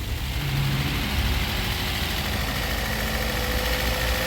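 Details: Toyota 2NZ-FE engine, previously roaring or whistling when revved, after timing cover work and a coolant refill. Gently revved, it idles steadily and smoothly with no knock, whistle or hum. Normal idle.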